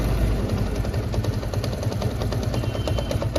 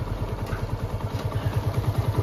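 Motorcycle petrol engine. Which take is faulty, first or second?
first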